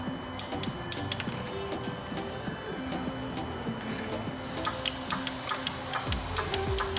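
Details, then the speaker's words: 2014 Ford Explorer 3.5L, engine off, intake oil control valve pulsed (power on green, ground via yellow): crisp, distinct clicks about twice a second; solenoid healthy, unlike the exhaust valve, which stops clicking. "Yeah, that's got a nice positive, crisp click."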